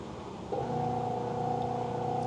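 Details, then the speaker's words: Magic Chef 1.7 portable washer, five years old, on the spin cycle: a steady low hum with a faint whine that never builds up; the motor runs but the drum does not spin. "supposed to be spinning. That's the noise. It's supposed to be spinning. And it's still not spinning."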